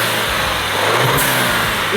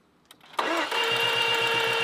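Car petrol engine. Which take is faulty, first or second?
second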